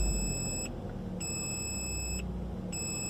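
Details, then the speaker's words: Car low oil pressure warning, shown with a red oil-can light in the middle of the display: a repeating high electronic chime of roughly one-second tones over a quiet cabin hum. Possible causes are low oil pressure, a failed sensor or the wrong oil. "Now, this red oil can light, it will come up in the middle of your display and you will hear this noise."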